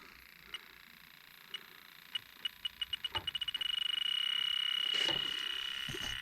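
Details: Trane XL18 two-stage system with a low-superheat fault, leak detector at the dark, oily coil fittings: sparse high ticks speed up to about four per second, then become a steady shrill tone. Strong refrigerant leak at the coil.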